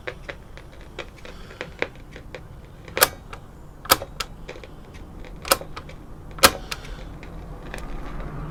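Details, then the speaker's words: 1957 Bush VHF64 valve radio on medium wave after capacitor replacement. Irregular sharp crackles and pops over a low hiss; there is no crackle on FM. Crackling valve radio, later traced to the EF89 valve, which stopped crackling when swapped. "so if I just tune between stations you don't seem to be getting that crackling on FM seems to be on IM only put it back on medium wave and there we are again not as bad but it's still there"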